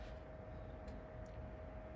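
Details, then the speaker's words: Power Mac G4 MDD after FireWire 800 and USB 2 card upgrades, phone held close to the closed case at power-on: steady rushing fan roar with a thin constant whine over a low hum as the fans ramp up before booting; normal startup sound. "So you can hear the fans ramping"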